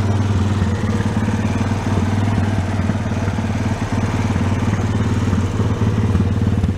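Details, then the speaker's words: Honda Sport Trac ATV single-cylinder after cracked case repair and carb blown out again, gas tank temporarily supported, air cleaner off: steady even idle thump; running cleanly now after the carb was sorted. "Oh, there you go. I guess I just missed something in there, huh? That's more like it."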